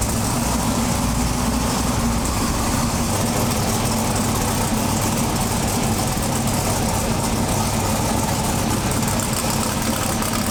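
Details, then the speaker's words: Twin-turbo big-block V8 pro mod drag car with a Turbo 400 transmission, running again after about 3 years. A loud, deep, steady idle with an even lope and no knocks, misses or hunting. Normal idle. "all right so we got this thing up and running finally after 3 years of waiting um so the engine sounds awesome"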